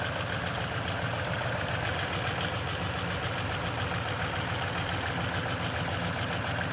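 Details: Cold-start idle on a 2010 Toyota Tundra with 165k miles and 5,500-mile oil changes all its life: a loose, uneven rattle of about three or four taps a second over the engine, suspected timing chain noise.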